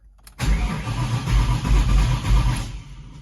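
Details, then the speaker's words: 1999–2004 Ford Mustang GT cranks steadily but won't start, theft light flashing rapidly, odometer shows dashes, scanner can't communicate; PCM not receiving power because PCM fuse blew when exposed radio interference capacitor connection shorted. "cranks but it doesn't want to start you see you have the um the theft light flashing and doesn't show my mileage"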